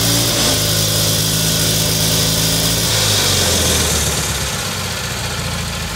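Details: Kohler Magnum M18 single-cylinder from a Cub Cadet 1882, rebuilt and run on a test stand with gravity-fed nurse tank, first start in over two years: starts and runs steadily, then revs sag lumpy and blubbery; running a little rich, smells like rich bog, needs carb tuning.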